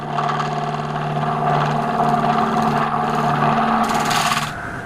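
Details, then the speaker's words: Wood lathe with speed raised to 1100 rpm, making a lighter cut with a square-style radius tool on a thin oak and resin platter: steady, even hum with only a faint rough flutter; less pressure stops the flexing and reduces chatter. "it's taken away some of that chatter and i'm also making a lighter cut so the lighter cut puts less pressure on and stops the flexing"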